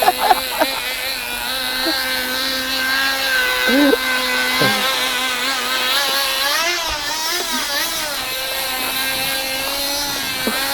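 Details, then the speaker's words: RC drift car with an E-POWER style hybrid setup, a small engine driving a generator; loud high buzz with wavering, hunting speed; it accelerates a little but drives poorly, apparently not producing enough current. "Çok ses yapıyor ve çalışmıyor. Motor duruyor ve motorun dönüş hızını değiştiriyor dolayısıyla bir miktar hızlanıyor ama verimi iyi değil."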